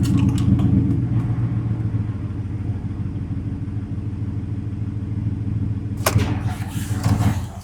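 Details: 2019 Ford F-150 5.0 V8 with a cylinder 4 misfire persisting after a new plug and coil, idling in gear; deep rumble with an uneven, stumbling beat. Engine misfire under load; cause still being diagnosed.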